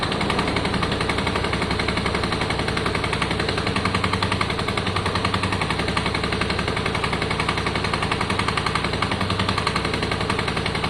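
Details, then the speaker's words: Yamaha Virago 535 V-twin after carb clean and re-jetting, warming up after a choke start: even, chunky pulsing at about 220 beats a minute, steady and clean with no spitting or stumbling. Engine running right. "oh i think that sounds better right wait let it warm up"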